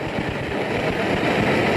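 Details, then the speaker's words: BRS-8 multi-fuel stove, well preheated, bottle flipped opposite to the instructions: steady roar with a fizzing, crackly edge as the burner spits liquid fuel that is not fully vaporising. "And even with all that, it was pretty preheated. and we're still getting all of this spitting of liquid fuel. I'm going to put some air in, we'll probably get some more spitting. That is crazy."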